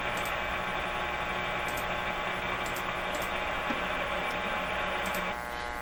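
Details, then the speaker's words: 1925 Magnavox Type D TRF radio tuned near 590: steady hiss and crackle with a low hum and hardly any station coming through; weak reception from a poor antenna. "What I'm going to do is I'm going to try to improve this somehow. I don't know how. Switch around antennas and that. Try to get more signal and less of all this noise."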